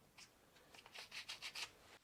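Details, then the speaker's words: Gazelle Speciaal bicycle being scrapped for parts: the pressed-in bottom bracket cartridge is turned by hand. Dry scraping strokes about five or six a second as it rubs a loose plastic cover; the owner thinks the cartridge is still okay. "It sounds like it is rubbing against this plastic cover. Well that's loose. Can it screw off, how does this work? I think the cartridge is still okay. It is just rubbing against"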